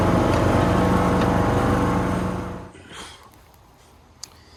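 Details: Toro Z420 TimeCutter zero-turn mower after motor swap with new carburetor and fuel line, mowing foot-tall grass: steady, even drone holds speed a few seconds before shutting off, no bogging or stumbling; runs healthy.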